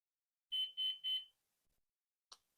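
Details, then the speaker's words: Flywing Bell 206 V3 RC helicopter, GPS unlocking in flight; software showed no GPS fault: three quick high beeps then quiet; owner concludes the unique beeping signals the battery is the problem. "and that beeping unique beeping I guess that's what it is telling me that the battery is the problem"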